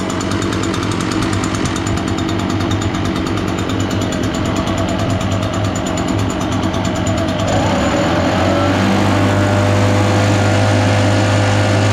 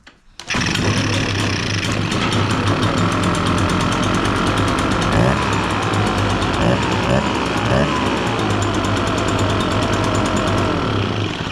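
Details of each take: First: Echo PB-580T backpack blower, sat for years, cold, choked and purged, kill wire unhooked: two-stroke buzzes steadily and keeps running while warming up, showing a short somewhere in the kill wire, feared inside the handle. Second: Echo PB-580T backpack blower, brought in running rough and not revving, started after repair with choke, purged primer, low idle: fires on first pull and settles into a fast, even two-stroke buzz without sputtering; starting and running properly.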